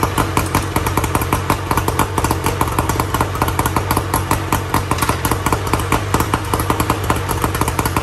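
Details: 1994 Tohatsu M40C two-stroke outboard after water pump replacement, unseizing the seized motor and freeing the locked lower unit, run with water on: quick, even crackling beat throughout with no misfires or clatter; running cleanly.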